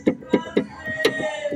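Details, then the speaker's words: Nissan Livina front suspension tie rod (tirante) with a worn rubber bushing and play: sharp, hollow clunks as it is pushed by hand. Makes a loud noise when driving; being replaced. "Então esse barulho aqui gente isso aqui andando faz um barulho imenso entendeu"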